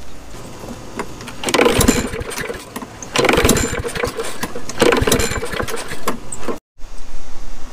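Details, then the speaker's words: Neglected Craftsman 21-inch push mower with a 6.75 Briggs & Stratton engine, left outside in rain. Three pull-cord pulls each give a run of firm thumps without firing, showing good compression and an engine that is not locked up. "see if that you hear that sounds like it's picking it up but it's going a thump thump thump that means it's got some kind of compression in it that's also a good sign and it's not locked up"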